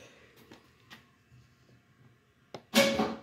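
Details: 2011 Cadillac CTS trunk with the latch actuator plugged in: a light click, then a solid clunk as the trunk latch pops free, which is a normal release.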